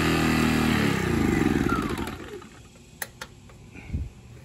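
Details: Sportsman 1000 W max / 800 W running inverter generator in economy mode, space heater on medium: engine note sags and winds down to a stop within two seconds, then only clicks; overload shutdown.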